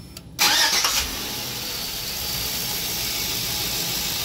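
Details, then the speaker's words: Engine started with serpentine belt removed after a new belt still squeaked, suspected from power steering pump, worse in cold weather: short crank, clean catch, smooth idle with no squeal, so noise is in the belt drive. "we take this belt off and now we're gonna start it up without a belt and see what it could be"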